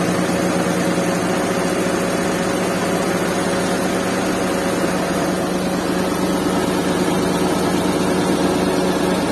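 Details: Restored Suzuki Mehran with 3-speed automatic and 660cc K6A WagonR engine, vibration test with a glass of water on top, started this morning: steady low drone with an even beat, no knocks or misses; smooth normal idle.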